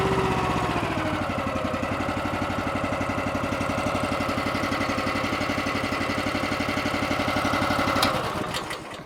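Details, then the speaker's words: Eastonmade 9-16 log splitter's Honda small petrol engine after a 5-minute idle-screw adjustment fix for surging: now holds a slow, even thumping idle with choke fully off, no surging; before it would not idle this low without choke. "Before I couldn't let it get down even close to this low in the idle, and the choke is all the way off. And before I was having to choke it in order to get it to idle that slow."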